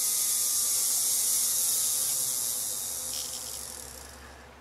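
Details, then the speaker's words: Old Athearn SD40T-2 model locomotive motor (blue box, 1988) on a bench tester before cleaning: high thin buzzing whine that sags in pitch under a brief stall, with slight squeaking and an old smell; suspected dry, squeaky motor. "Now, a little stall. Okay, I can hear a little squeaking. I can smell that it's old."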